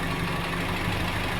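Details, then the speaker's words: Datsun with new carburetor, radiator and thermostat, partly warmed, choke eased and idle lowered to about 800 rpm: steady, even idle with no misses, knocks or vibration; runs smooth. "running fairly smooth don't really know how it drives yet"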